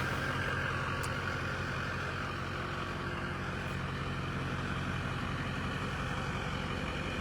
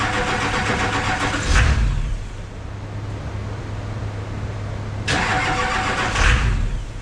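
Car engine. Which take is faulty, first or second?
second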